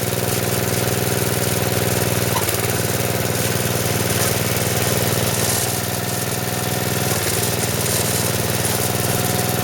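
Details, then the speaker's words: Snowblower small single-cylinder engine on 85-octane gas, after auger repair with new drive belt: even steady chug at constant speed, no knocking or slipping squeal; runs normally, better than the old chattering belt. "oh that belt works really good sounds really smooth everything does um a lot better than it did before"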